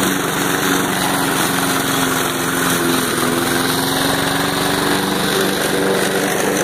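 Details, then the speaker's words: Lawn mower small engine after makeshift carburetor repair with reshaped venturi, test run: smooth, even drone a little above idle holding steady with no surging or dropouts; running properly. "it's holding up pretty good it's staying right at the city a little bit higher than idle but it's holding it"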